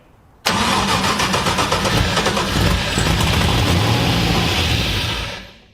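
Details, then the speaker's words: LS1 V8 swapped into an E46 drift car, first fire-up after wiring with rough tune settings: catches first time, holds a lumpy but steady idle about five seconds before shutdown; normal start and run. "Well, it runs. No. Well, that was a good mixture of exciting and nerve-wracking. She fired up first time, which is very surprising to me."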